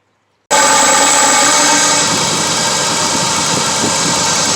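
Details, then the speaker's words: 2006 Dodge Durango 4.7 V8 with a severe misfire, injector heard through a rod at idle: fast, even clicking over steady idle as the injector opens and closes; normal injector operation, all eight tested the same way. "if you listen close you can hear like the clicking sound that clicking is the injector opening"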